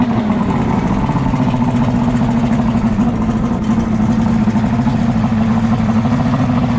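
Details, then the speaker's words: Outboard on 1998 Wellcraft 210 boat, sat for a while, just after fixing a broken-throttle-cable high idle: steady even low hum holding pitch, no misses or surges; normal idle. "She runs good. We're gonna start it up again."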